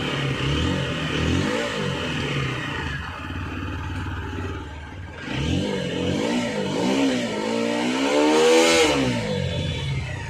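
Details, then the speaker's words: Water-damaged TVS Apache RTR 160 4V, submerged in water. With throttle blips, revs rise and fall but hang at about 2000 rpm instead of settling, and the check-engine lamp is on: high idle. "இப்ப வந்து கரெக்டா வந்து நமக்கு வந்து அதே மாதிரி வந்து RPM வந்து 2000-ல வந்து நின்னுகிட்டு இருக்கு இப்ப வந்து செக் இன்ஜின் லாம்பும் வந்து எரிஞ்சுகிட்டு இருக்கு"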